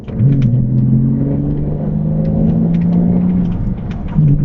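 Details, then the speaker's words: Inside a stock Porsche Cayman 987, dropping a couple of gears and accelerating before a stainless back box, limited-slip diff, lightweight flywheel and uprated clutch are fitted: smooth engine note climbing with a brief dip at the shift, no rasp or drone. "And as you can see, sounds like a relatively sporty, completely standard car, but nothing to write all about."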